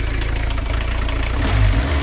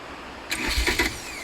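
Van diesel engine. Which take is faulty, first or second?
first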